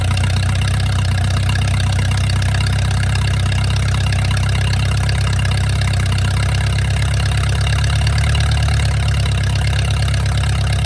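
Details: Mercruiser 470 3.7L marine engine, first run in 16 years after fuel reached the carburetor; deep even idle rumble holding steady ten seconds, no misses, knocks or hunting. Automatic choke not working properly, owner suspects his wiring. Normal idle.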